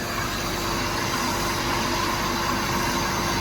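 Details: Maruti Suzuki WagonR after fix, engine idling with radiator fan running: steady whoosh of air with no wobble, rubbing or flapping; noise and vibration had been caused by a plastic sheet being sucked toward the fan, now removed.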